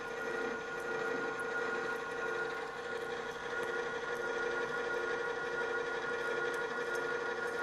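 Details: Drill press after engaging the transmission so the spindle turns at a much different speed. Steady, even spindle tone with a smooth cutting hiss and no rattling or juddering: the chatter is eliminated and the drill cuts cleanly.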